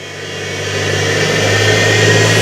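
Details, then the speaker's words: Universal motor on a trainer kit running on DC supply: smooth, steady hum climbing evenly as it passes about 10,000 rpm, with no knocks or grinding. Running normally. "So about 10,000 RPM ಸ್ಪೀಡ್ಗೆ ಹೋಗಿತ್ತು already. ಅದಾಗಲೇ motor 10,000 RPM ಮೇಲ್ಗಡೆ ಹೋಯ್ತು."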